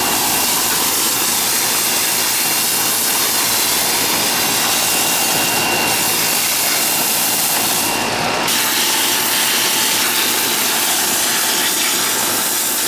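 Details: Older outdoor AC condenser with TXV on an August day: constant airy fan rush with a faint steady hum, no rattles or surges; condenser running normally.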